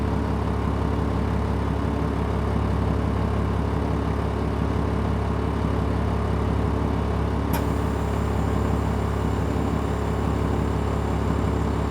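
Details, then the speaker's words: 2003 Stewart & Stevenson M1078 military truck diesel at cold start idle: deep steady low rumble, idle speed adjusting itself slightly as it warms; normal cold diesel idle. "You can hear the idle adjusting itself somewhat here."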